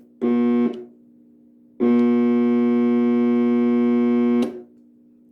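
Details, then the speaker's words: 1965 Northern Electric TeleTrainer phone simulator for Bell Canada, powered up: its built-in monitor gives a steady clean buzzing tone near 230 Hz, a short burst then a longer even one, working properly. "So, it had a built-in monitor. I can hear it buzzing there."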